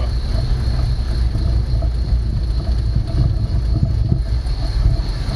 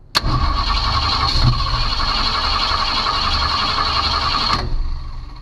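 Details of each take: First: 1965 Ford Mustang after the ignition fix, fired right up, idling before the timing is set (aiming for about 28–30° at 2000 rpm) and the vacuum advance is hooked up: deep, steady rumble with even firing, no knocks or misses; normal idle. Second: 1965 Ford Mustang no-start, key on, battery voltage dropping from 12 to about 9.5 V while cranking: about 4.5 seconds of steady starter whirring with no firing; crank no start, ignition fault suspected (it wants to fire with the key off).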